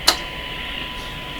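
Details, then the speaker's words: Grundig Satellit Professional 650 shortwave band, 1 kHz test tone: heavy steady hiss with only a faint thin tone after a tick; weak reception, owner suspects misalignment. "why isn't this why isn't this just a nice clear tone you can hear the tone in amongst all this hiss not enough signal coming to the radio"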